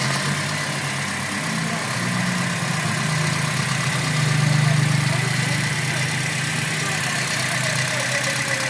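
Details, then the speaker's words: Toyota Vios Gen 3 idling after water pump replacement for worn bearing noise: steady smooth low hum with no whirr or rumble from the front of the engine; previous noise gone, quiet normal idle. "Wala nang ingay, tahimik na po."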